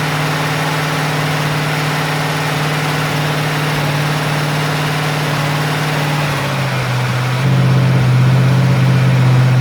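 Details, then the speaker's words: Rebuilt Ford 302 Windsor V8, warm and running without a thermostat, charging just under 14 V: a deep, steady idle burble, but now and then a beat drops out. A miss at idle. "They are getting warm. I don't like that miss."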